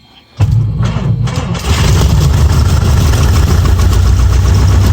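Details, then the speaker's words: Light aircraft piston engine started on both magnetos with throttle cracked, then set to 1,000 rpm: brief cranking, clean catch, deep even idle without misses; healthy start, oil pressure in the green, temperature climbing to about 100 degrees. "yeah, baby. Listen to that purr. I immediately set it to 1,000 RPMs right here."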